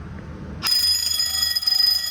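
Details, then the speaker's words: Home-built Fire-Lite MS-9200UD fire alarm system with bells: a quiet room, then bells suddenly ring loud and bright after a System Sensor i3 smoke detector near the water heater was slow to activate. Fire alarm activation. "That took a bit to activate. Okay, maybe System Sensor doesn't make the best smoke detectors because my goodness, they take a while."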